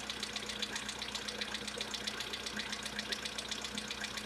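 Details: VW Polo Sedan with the CFNA engine, before a decarbonizing treatment meant to cure the knock: light, regular, crisp metallic tick about four times a second over a steady idle; engine knock, cause not pinned down.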